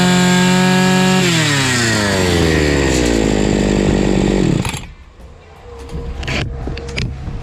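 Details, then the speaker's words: Fubag FPT 52 two-stroke trimmer after fixing severe flooding: fuel screw opened half a turn and idle adjusted. Revs cleanly, eases down smoothly and shuts off with no stumble or misfire; runs properly. "так я не понял, в чём была проблема. Всё рабочее."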